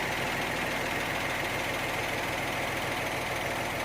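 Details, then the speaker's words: Used Hino giant-face dump truck with a 195 hp HO7C diesel: quiet, even idle with a soft, steady rumble and no knocks or rattles. Normal idle. "อ่านี่ครับพี่สวยนะครับเสียงเงียบกริบ"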